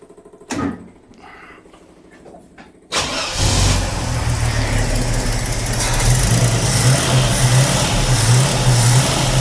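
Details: 45-year-old 2.8-litre Vauxhall Royale coupe, newly refitted Weber carburettor at baseline settings, choke cable off: brief crank, pause, catches after about three seconds and settles into a slightly uneven idle; hard starting on untuned carburettor.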